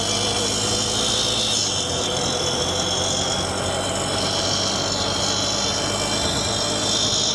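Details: 2008 Honda Recon ATV, sitting 15+ years, with a busted timing chain: busy, even single-cylinder clatter holding steady with no knock or rattle standing out; the engine runs healthy and shifts through all gears.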